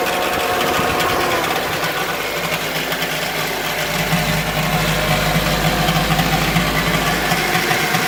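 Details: 2008 Toyota Corolla LE at cold idle: a light metallic rattle ticking about three times a second. It lasts a few minutes after starting and goes away after driving. The cause is not yet determined.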